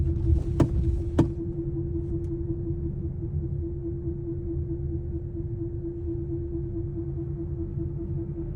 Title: Humming noise from prof-shaft centre bearing support. #mechanic